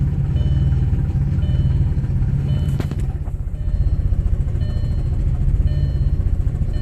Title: Audi B5 S4 cold start misfire